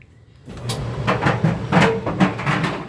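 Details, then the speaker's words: Kenmore Elite dryer being tested after a no-heat repair: irregular hollow thumps about twice a second as the drum turns, caused by the lint filter accidentally left tumbling inside the drum. "Oops. Left the lint filter inside. That was that noise."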